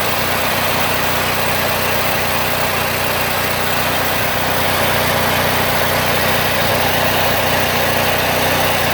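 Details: Bolens AJ Foyt 3014H lawn tractor with a Briggs & Stratton 14HP opposed twin, running after a solenoid replacement and rewiring with safety switches bypassed: steady idle with an even beat and no misses or knocks. Normal idle.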